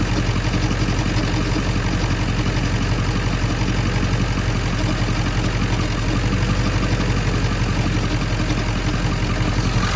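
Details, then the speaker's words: 1997 Ford F-350 7.3L Powerstroke diesel, 164,000 miles, idling warm: steady rhythmic metallic chatter, intermittent and rod-knock-like, traced by stethoscope to the belt tensioner pulley, whose bearing is fried. "oh yeah the bearing's fried in there oh yeah that's it"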